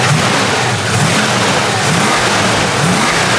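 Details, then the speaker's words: 1970 Plymouth Duster 340 V8, revived after sitting 30 years, idling after an oil change while the idle is being set. Steady even lope with the earlier lifter tick gone, likely a stuck lifter that pumped up; healthy idle. "So, I'm setting the idle on the car and it seems like now that the oil changes in it and we ran it for a minute, the lifter tick is gone."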